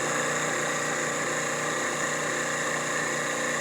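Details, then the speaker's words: Stirling kit miniature turbojet model engine, relit after being shut off: steady high-pitched roar and whistle, more aggressive tone, no surging or sputtering; normal running. "Yeah, this is still going. You can hear a slight, hear a more aggressive tone when it's running."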